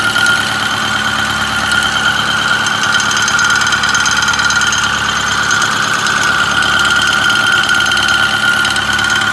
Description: 6.4 Powerstroke rattle noise idle and 1200 rpm